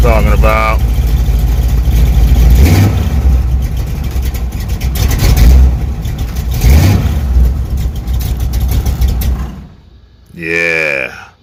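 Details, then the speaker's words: Chevy Nova 350 small-block V8 just after a new starter install: strong running that rises and falls cleanly through several throttle blips before shutting off; starts and runs as it should. "that's the way it should be starting all right let's get to the shocks now"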